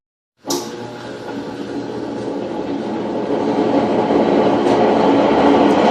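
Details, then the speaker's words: Electrolux washing machine spinning with a loud, deafening train-like roar that builds steadily, from worn drum bearings; the seal and other main parts are then replaced. "essa máquina a cliente mandou que pra gente e ela tá fazendo muito barulho a centrifugação"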